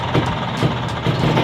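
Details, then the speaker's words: Vespa two-stroke idling with a recently fitted kopling 7 clutch: loose clattering rattle pulsing about twice a second over the engine beat, a noisy clutch; owner plans to swap to a kopling 6 clutch. "Why karena suaranya ya guys ya berisik banget si kopling 7nya ini waktu gua kemarin ganti ya bisa kalian dengar ya"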